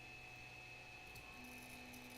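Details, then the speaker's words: Ender 3 printer after swapping in an SKR Mini E3 board with quiet stepper drivers: faint, steady whirring as the axis moves, much quieter than the old board. Normal stepper movement, though something small rattles. "so it's much quieter this little thing rattles though which is a little bit annoying"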